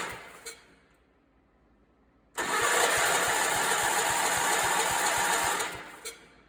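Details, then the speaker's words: Allis Chalmers 416 garden tractor barn find, spark present and fuel reaching carb: about three seconds of steady starter cranking with even compression pulses, never fires; cranks but won't start, later started on ether. "well that thing won't start um i might do the good old"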